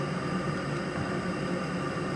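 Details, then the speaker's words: Viessmann Vitodens 200W gas boiler with mixers on a flue liner, after PCB reset: burner fires in with a steady, even rushing hiss, no pops, rumble or flutter; normal clean firing. "you can hear the boiler's just fired in."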